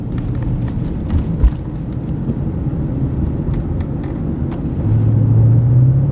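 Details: Mercedes W140 500SEL V8 driving at full throttle: the drone rises slightly but revs never pull; MPG gauge drops to 30 then zero, banging heard at the back, apparent limp mode; loss of power.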